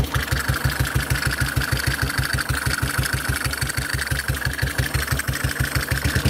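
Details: Model 8 single-cylinder motorcycle engine at idle, recorded cold then hot, with even low thumps and a faint metallic tick on each beat; knock more noticeable at 40 mph and above, cause unconfirmed.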